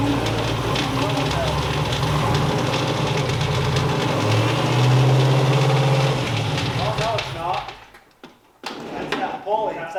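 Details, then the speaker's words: Engine running: steady low flapping beat about three per second under the rumble; loose idler pulley flapping in the belt drive. "that idler flapping around in there. Yeah, it's that idler."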